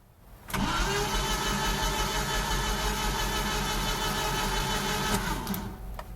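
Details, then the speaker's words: 1988 Jeep Comanche Renix 2.5L I4 cranking but not starting: starter spins the engine about three turns a second for several seconds without catching; distributor rotor far off, timing chain believed to have skipped a ridiculous amount. "So whatever we have an issue with, our timing chain must have skipped a ridiculous amount."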